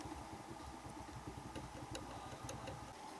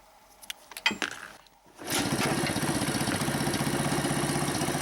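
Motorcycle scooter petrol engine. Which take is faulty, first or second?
first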